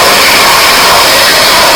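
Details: Karcher pressure washer after a no-start repair: a steady hiss of spray over an even motor drone, no stutter or pulsing. Running normally.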